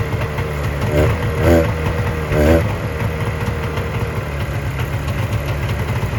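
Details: 1970 Subaru Sambar pickup off the road for 40 years, first run after loosening the distributor to add timing advance (timing or points suspected off); idles with an even low beat, rising in pitch as it's blipped, then settling back: runs clean.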